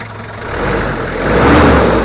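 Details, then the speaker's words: Toyota Kijang 2L diesel after engine overhaul for low compression and abnormal noise: even diesel clatter at idle, swelling slightly as it settles, no knocks or misses; normal idle. "Hai suaranya udah normal menurut saya udah siap tancap"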